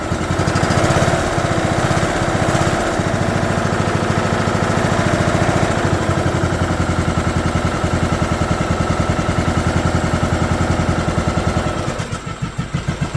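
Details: 2011 John Deere D110 mower, engine reassembled from boxed parts, restarted off choke, throttle cable not hooked up, expected to smoke: strong even single-cylinder beat holding steady speed, no knocks or misses; runs good.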